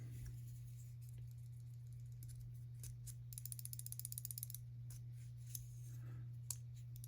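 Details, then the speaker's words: Hogue Doug Ritter Mini RSK MK1G2 folding knife, shaken: about a second of quick light metallic clicking over an electrical hum; owner suspects poor fitment or liners cut slightly too big with no screws at top. Cause suspected, not confirmed. "But when I pull it back, it still rattles. So I'm guessing it's the lack of fitment, or maybe these were cut out a little smidge too big, but they don't have any screws up here, and so it's rattling."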